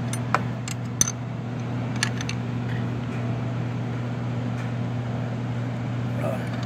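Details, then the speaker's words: 2005 Chevy Impala 3.8 idling with a steady hum and sharp irregular metallic taps as the engine, loose from a broken motor mount, hits the power steering high-pressure line. "oh can you hear that banging so look at how much your engines movie should not be able to move that much but it is hitting your your power storyline"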